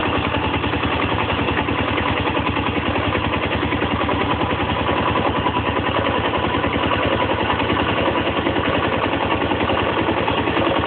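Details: ZS250GS motorcycle engine at idle, about 200 beats a minute, with an extra uneven clatter riding on top. Abnormal foreign noise in the engine, cause not pinned down.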